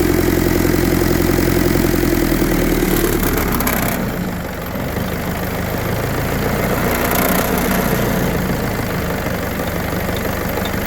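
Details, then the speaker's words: 1952 Willys M38 with a Kubota V2203 diesel swap, idle lowered to about 730 rpm: steady low diesel idle with a faint rattle that comes and goes. The whole body and hood vibrate more; the idle is set too low. "I don't know if you can hear it in video but the whole body is vibrating more the Hood's vibrating more there's a rattle that comes and goes with this"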